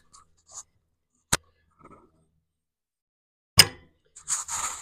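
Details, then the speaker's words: 1943 Gravely Model L with a swapped Edison magneto, head off for a new gasket, engine turned by hand with a microphone by the magneto: one sharp snap as the impulse coupling trips right at top dead center; timing correct. "that's popping right at top dead center I if you heard the impulse go off or not but we'll do it one more time and I'll put the little microphone by the Magneto so you can hear"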